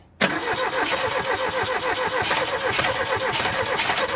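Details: Ford Taunus/Cortina fastback parked 40 years, cranked from under the hood via a starter wire while feeding brake cleaner: steady rhythm for about four seconds, never fires; owner suspects bad 40-year-old fuel.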